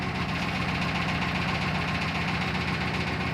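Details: Built 400hp Subaru Outback XT on quick jacks, intermittent noise over 2000 miles: steady knock about 2.5 per second over engine drone; not rod knock, owner suspects front diff, not confirmed.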